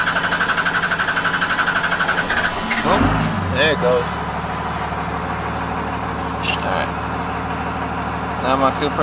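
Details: 2000 Dodge Ram 2500 24-valve Cummins turbo diesel after a fuel filter change and priming: steady cranking at about four strokes a second, then it catches into an even idle. It starts cleanly.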